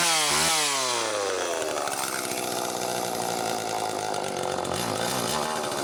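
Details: Late-model Homelite Super 2 two-stroke chainsaw, test run after servicing its carburetor-mounted oil pump: it snaps up from low to a steady high buzz and holds revs without bogging; it runs fine.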